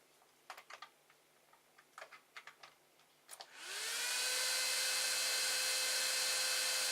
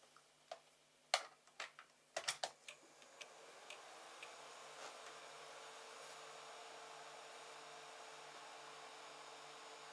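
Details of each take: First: 3D printer enclosure, AMD CPU heatsink fan cooling the 24V-to-12V buck converter: a few clicks, then a loud steady airy whine with clear tone; this CPU fan is the noisy one, to be replaced with an 80mm Silent 8 fan. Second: 3D printer enclosure, 24V-to-12V buck converter heatsink after replacing noisy AMD CPU fan with 80mm Silent 8 fan: a few handling clicks, then faint steady even whir, no rattle or buzz; normal fan running.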